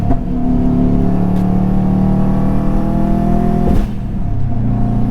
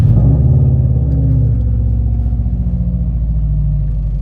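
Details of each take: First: Subaru WRX driven under throttle: steady low drone with a brief sag and stumble before it picks back up; engine hesitation under load. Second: Subaru WRX feared blown after a redline, just after a spark-plug job and before warm-up: deep, steady burble with an even pulse and no misses or knocks; idles smoothly.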